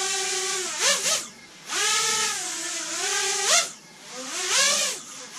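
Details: Freshly built, painted Racer X ET5 FPV quad during its first hover test. A smooth, even motor whine rises and falls with throttle, with no rattle or roughness. Motors sound healthy and aren't hot afterwards.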